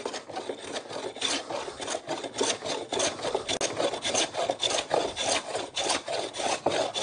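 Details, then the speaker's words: Hand plane with blade corners taken off, working skewed across a timber chopping board: even rasping strokes near two a second, each a full unbroken shave; after early hit-and-miss passes the blade is in constant contact, leaving a smooth surface. "after a few runs what you'll hear is a constant sound of the blade cutting you can hear that it's constant contact with the blade and the timber"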